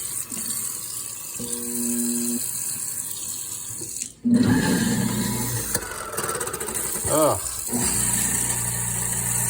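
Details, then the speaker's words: Kitchen garbage disposal running after mop-bucket dirt, mud and small rocks were poured down the sink: low motor hum with gritty rattling over running water as the debris grinds around inside; cleared with a shop vac. "So, my wife was mopping or something, and she just poured dirt, small rocks, whatever else she picked up down there. And guess what?"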